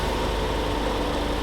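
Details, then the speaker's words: 2011 Toyota Corolla after throttle body and MAF sensor cleaning: engine holds a steady raised idle, higher than normal because the idle has not yet been relearned; relearn by warming 5–10 minutes and cycling ignition. "you might get a uh like a lot of hesitation on then starting all the way or it's going to be high and idle which is we're going to see right now so this one was high and idle"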